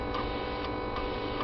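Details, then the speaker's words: Bench fuel rail test with the injector fired at full pressure, fuel pressure regulator boosted by blowing into it; crisp evenly spaced clicks about twice a second over faint hum. No difference from lower pressure, normal injector clicking. "I think I'm going to fire him now at full pressure to see this looks any different frankly I can't tell any difference at all they've probably bloated with fuel but"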